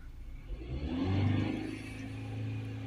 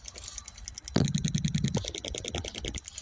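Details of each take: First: Ford Transit MK8 2.2 RWD diesel with P246C/P24A4 particulate filter restriction codes, DPF differential pressure 57 hPa at idle: revs climb briefly then flatten, capped at 3000 rpm in limp mode from the blocked DPF, before cleaning. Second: Ford Transit MK8 2.2 RWD diesel during DPF cleaning for faults P246C and P24A4, engine off: quick, steady electric ticking, about three a second, as the vaporizer fuel pump pulses, priming and injecting fuel normally.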